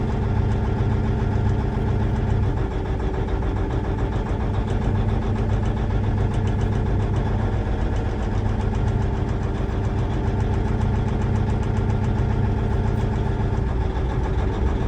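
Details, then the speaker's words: Versatile 2360 tractor, Cummins N14, cylinder cutout test: steady but uneven lumpy idle with no change when cylinder 5 is cut, indicating dead number 5 cylinder/injector; cutting cylinder 6 drops rpm. "So there's no difference in the engine, the way it sounds on cylinder 5. So that's a good indication that we've got something going on with that number 5 cylinder."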